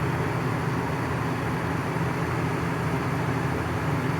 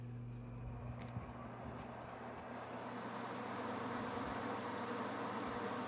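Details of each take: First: Coleman Mach 15,000 BTU RV air conditioner on low cool: loud, steady low roar with deep hum and airflow rush, too loud to hear the TV over. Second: Frigidaire 5,000 BTU window AC running on low cool, heard from the sitting spot: steady low hum with soft even fan rush, no rattles or surging; normal running.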